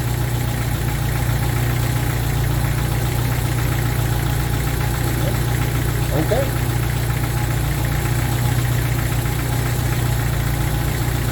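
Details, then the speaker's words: Smooth, steady idle with a low rumble and no dips from a 1995 Jeep Wrangler YJ 2.5L four-cylinder after fuel injector replacement; idling about 900 rpm versus roughly 700 spec, owner unsure if computer must relearn; no leaks, normal. "usually if what i'm saying by spec this thing would run around 700 rpms at idle and it's running about 900 so i don't know if that's the computer's got to relearn it or what"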